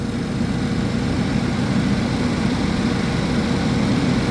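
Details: 2011 GMC Terrain with recurring P0341 cam code despite new phaser solenoids and intake/exhaust cam sensors; runs great cold. Check-engine light on; smooth, steady cold idle, no misfire, tick or knock; normal.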